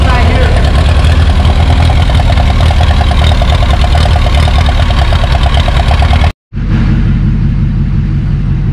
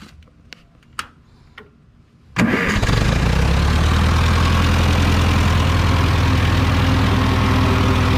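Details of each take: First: 1949 Ferguson TO20 gas tractor with points ignition, before tune-up and electronic ignition conversion, new battery: loud lumpy uneven idle; running really rich, misfiring, plugs or carburetor suspected. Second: Ferguson TO20 tractor after points-to-electronic ignition conversion; a few clicks, then it catches and settles into a steady, even idle, now running on all four cylinders instead of one: normal idle.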